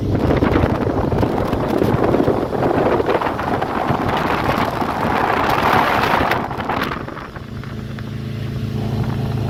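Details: Baja H2X boat with Mercruiser 454 Magnum MPI V8 needing a tune-up, misfiring during launch: roars hard under throttle with a ragged, uneven beat, then drops off; cause suspected, not confirmed.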